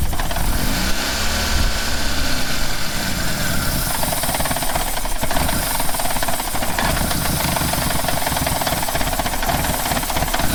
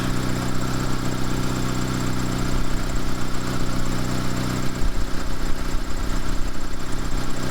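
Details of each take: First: 2-door Mitsubishi Lancer CE, trying to start after fitting a replacement fuel rail and injectors: the engine runs lumpy and uneven with a ragged exhaust note for about twelve seconds, then stalls. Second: Two-door Mitsubishi Lancer CE after a new fuel rail and injectors, battery holding charge, charging at 14.5 V. Smooth, even low hum with a steady beat and no knocks or stumbles; idling normally.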